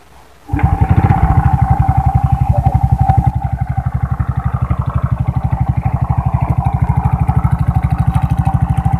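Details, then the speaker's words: Honda Wave 100 motorcycle idling with a loud, rattly clatter on every firing stroke, which also smokes; teardown finds a worn, scored piston and a loose piston pin. "dito lang siya maluwag na ang kanyang pin kaya umiingay siya"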